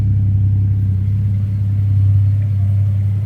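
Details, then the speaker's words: 19-year-old Ford Territory Ghia Turbo (Barra six) after a rebuilt exhaust with the rear resonator deleted and a rattling heat shield fixed, heard from under the car: very deep, steady idle rumble, burbles on revs, no metallic rattle; normal. "Well, as you can tell, without that rear resonator, it is very deep. It does burble a bit when you give it a rev."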